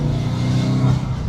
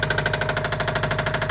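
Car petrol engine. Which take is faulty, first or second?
second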